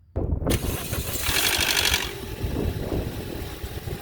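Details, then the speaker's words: Toyota Corolla petrol engine at cold start: about a second of metallic rattle from the intake VVT cam gear, then a settled idle; repairable without buying or removing the cam gear. "does your Toyota Corolla have intake cam gear rattle sounds like"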